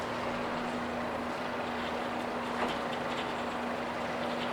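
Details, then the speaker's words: 2016 Mercury 40hp four-stroke outboard, 20in shaft, 474 hours, 150 PSI on all 4 cylinders, freshly serviced: steady even idle in neutral after forward, constant low hum with water splash, spraying good telltale water, no knocks or misses. "Spraying good water. Going forward. Neutral."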